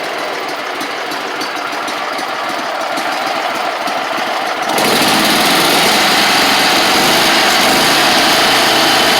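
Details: Gravely 260Z Kohler V-twin after removing the faulty DSAI ignition module: even, steady idle with no misfire or hunting, good spark; throttles messed up after the plates were taken off; runs on its own and shuts off normally.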